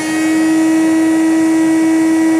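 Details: 1989 Hoover Commercial C2450 vacuum, first power-up after being found in poor condition: a steady high-pitched motor whine on one even note with no rattle or speed wobble; the motor sounds healthy.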